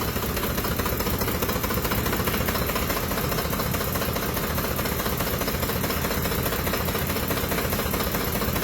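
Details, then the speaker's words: 2005 Ford Expedition 5.4L Triton V8, warm, idling in gear: oil pressure drops from 25 psi in park to 18 psi; rough shaking idle with steady knocking and rattle, two or three knocks a second, misfiring; judged to need engine replacement. "and rattling and misfiring, knocking. So, pretty confident saying this vehicle needs a new engine replacement."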